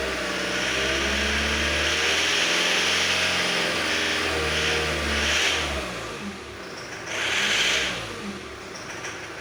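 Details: Engine revving up and dropping back after the ignition timing was adjusted: quieter at idle, but a hard metallic ringing knock still comes in on each throttle blip; cause not confirmed.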